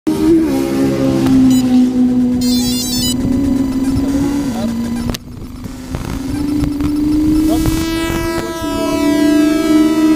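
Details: DJI H3-3D gimbal with GoPro Hero3+ Black: loud steady electric buzz near 250 Hz with whiny overtone, stepping in pitch; seems to stop once the drone takes off; gimbal motor buzzing, cause unknown.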